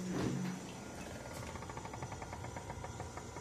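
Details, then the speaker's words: Electrolux refrigerator whirs like a fan, with a fast, even fluttering of about seven to eight pulses a second; sometimes much louder; stops when the door is opened; cause unknown. "Como se fosse um ventilador. E quando abre essa porta aqui, né, para. O que pode ser? Eu vou descobrir."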